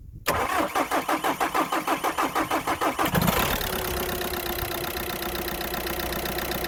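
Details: 2009 VW Golf 1.6 TDI (CAYB), first start after replacing a faulty injector (P0203, P0606), fuel pump primed several times: about three seconds of even cranking, then it fires and settles into a smooth idle on all four cylinders.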